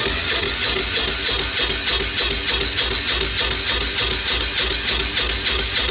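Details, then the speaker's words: Apache diesel generator, cold, main breaker off, slightly warmed by a heater: steady cranking at about three strokes a second that never fires; owner suspects the electronic fuel shutoff needle is stuck, starving it of fuel. "not even a fire like should be firing huh I wonder if this thing's not doing something right up here the the needle the electronic needle"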